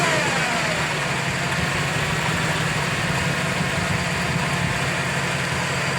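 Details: 2007 GMC V8 truck: steady low rumble with a thin whine, constant and louder with acceleration, from the lower front of the engine; owner suspects water pump or harmonic balancer, unconfirmed.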